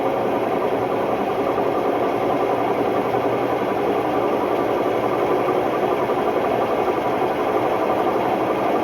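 Loud, constant roaring rumble through the whole spin with no letup; classic worn drum bearings on this washer.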